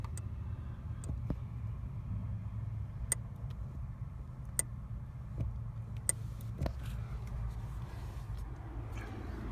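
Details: 2015 Subaru Impreza WRX STI, 40k miles, sharp irregular clicks over a steady low engine idle each time the clutch pedal is pressed; no grinding and no trouble engaging gears.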